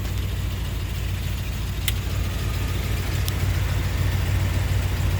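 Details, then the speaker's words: 1990 Jeep Grand Wagoneer, newly rebuilt AMC 360 V8 with Holley EFI, after daily-driver restoration, idling with the new factory-style AC compressor engaged: steady low idle, no knock, rattle or squeal; compressor running normally. "And you can show them out there on the engine where the compressors run. Because that is the new AC compressor. Factory style. See it running the way it's supposed to."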